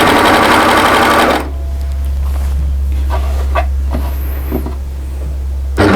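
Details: Overlocker stitching a curved edge without stretching it; a fast, even stitching whirr for about a second, then a low steady hum remains; sounds normal.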